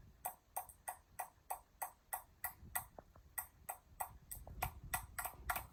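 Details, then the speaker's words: Hampton Bay Huntington III ceiling fan on forward, tested outside, with a finger touching a blade: even taps about three a second, steady spacing showing smooth forward speed, slightly faster than reverse. "Just so you can hear the RPMs and how fast it's really going. Just by listening to the tap of it and stuff."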